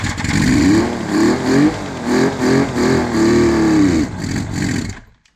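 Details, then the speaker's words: 1976 Suzuki GT750, first start attempt in 30 years: fires and runs roughly, surging about three times a second, then dies within five seconds; owner thinks it ran out of fuel, oil lines filling from cranking, smoky. "That's probably the extent of my fuel in there. But I don't know if I've said previously, but I think my fuel line, or the oil lines are filling up just from turning it over."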